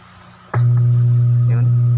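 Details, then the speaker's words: Starcoby Bluetooth speaker, opened and powered on: deep steady hum about 120 Hz from switch-on, holding constant; has power but hums, shorted power transistor in amplifier suspected. "Meron siyang power pero umuugong siya mga ka-gel. Yan. Yun. Yun ang sira niya mga ka-gel."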